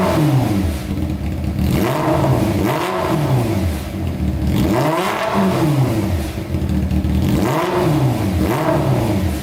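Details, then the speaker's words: Honda CBR600 four-cylinder engine in a custom go-kart, waiting for the fan to come on: clean free revs rise and fall about every 1.5 seconds with no misses or knocks, described as amazing and puffy. Normal, crisp revving. "that is insane that is sounding amazing pretty puffy"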